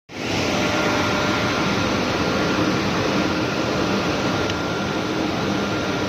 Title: vfd rig draw works have abnormal sound